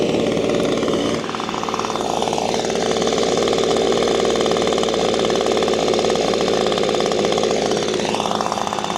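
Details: Six-year-old Echo PB-250LN handheld two-stroke leaf blower, new spark plug fitted, warmed a couple of minutes, at full throttle; it buzzes and surges briefly but falls back instead of revving out; cause unknown, air filter to be replaced next.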